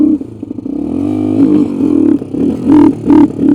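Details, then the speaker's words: 1986 Honda 350X in neutral with a non-working clutch, only able to use about quarter throttle: each blip stumbles and sags with uneven popping, worse with the choke. Owner suspects a firing issue, maybe an old spark plug. "No, she don't like the uh Nothing going on. Doesn't like the choke. Like I choke it and it's worse. So almost think we got a firing issue."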